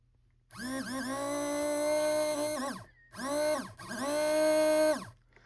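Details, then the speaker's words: Rebuilt motor of an HO scale Lindsay Alco FA locomotive, bench-run on controller power: smooth, even whine that rises, holds and winds down with no grinding or ticking; normal, healthy motor run. "And that is for sure a very healthy motor."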